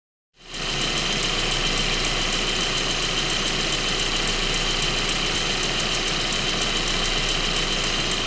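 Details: 1.8T engine at steady idle with a light, fast even tick of about three to four per second riding on top; source of the ticking unknown.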